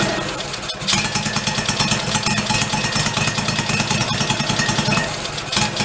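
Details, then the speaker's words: 1991 Craftsman GT garden tractor, found broken down, restarted after adding gas and priming, fuel now feeding through: small single steady, even thumping with no stumbling or surging; normal idle. "i got it i think we're running off the card yeah it's like a fuel through now"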